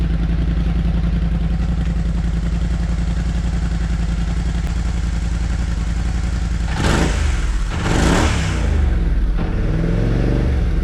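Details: Kymco CV3 scooter with replacement silencer, in a closed garage on a table, warmed up: even low putter at idle, then clean throttle blips; quieter than stock but nicer note, under 90 dB, transmission resonance present.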